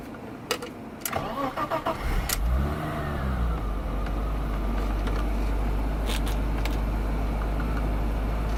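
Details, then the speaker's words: BMW E30 320i convertible, M20 engine, timing belt unchecked, first start at pickup: brief cranking, catches within a second, revs then settles into a smooth steady idle; starts like a charm. "Like a charm. Starts like a charm."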